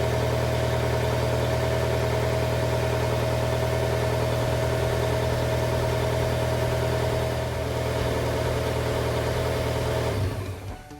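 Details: TDI diesel-powered TJ Wrangler idling at about 1200 rpm after installing a GTD1752vrk turbo and MagnaFlow muffler, after about an hour of idling. Even, steady diesel clatter with no misses, puffing or hiss before shutdown; healthy.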